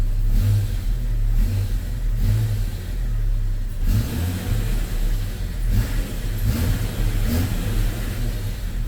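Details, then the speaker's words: Jeep Comanche first run, warming up, smoke likely coolant from freeze plugs: revs hang high instead of returning to idle because of a sticky throttle cable that needs lubing. "Oh, my cargo light still works. Oh, man. Milestone. Oh, that's that sticky throttle cable."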